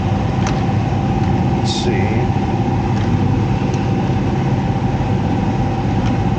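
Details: Heat pump blower with electric heat, reported making loud noises: a steady heavy rumble with a constant mid hum from a badly damaged, out-of-balance fan wheel, which can't be removed without tearing the whole unit apart.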